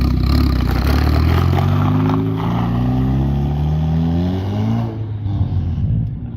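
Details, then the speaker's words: Ford Focus ST after fitting an eBay turbo, running after fuse locations were sorted: clean, deep rev climbing smoothly, then dropping back to idle without clatter or misfire; deeper and quieter than before, pulls and settles normally. "sounds much better than it did before that's for sure i like this way better it's a lot deeper"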